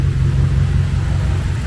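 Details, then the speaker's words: BMW X6M, forged build rated 1200 hp capable, M5/M6 intercooler swap, first start-up, untuned, meth not yet hooked up: low, steady rumble with an even pulse, no misses, surges or knocks, engine not shaking; normal idle. "Look, the engine don't shake at all, don't move. And look how clean she idle."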